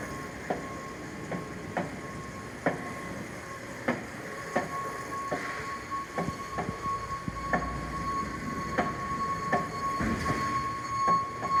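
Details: Model 4100-35FA machine, serial 070220-4135, running: sharp knocks roughly one and a half to two a second, repeating unevenly over the running noise.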